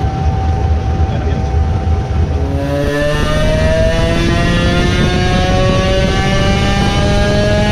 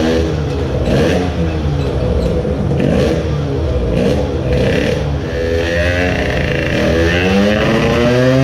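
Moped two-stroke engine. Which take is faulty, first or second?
second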